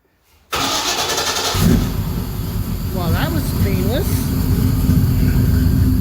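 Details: Engine's start, cold, after the fuel pump fuse was refitted and the pump primed; there is no driveshaft and a leak was noticed. Brief crank, then it catches at once and settles into a steady, even run that slowly builds: a clean, healthy start.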